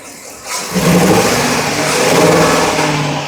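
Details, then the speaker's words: 2017 Ford E450 6.2 gasoline V8 with cylinder 3 misfire code: revs up with hoarse, flat note and faint hiss; feels low on power, mechanic attributes it to an air (vacuum) leak, coil, injector or wires unconfirmed. "está se siente que está un poco low Power por lo que este que mando eh tenía esa fuga de aire"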